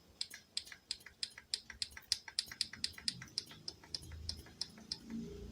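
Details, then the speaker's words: Godox SK400 studio flash after repair of a self-firing flashing fault: powered on with no self-flashing, crisp pops about three a second, each timed to a test button press; normal firing. "itu dia teman-teman sudah on dan tidak flashing ya kita coba pencet-pcet ya teman-teman"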